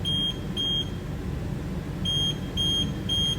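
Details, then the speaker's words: HR17 narrow electric machine after customer replaced motor controller (previous code 1C40): enable pressed, beeps over low hum, pump motor draws current but reads 0 RPM with no error codes; caused by swapped motor phases. "so it's taking some sort of current I wonder why the the motor is not spinning and uh why we having no error codes here"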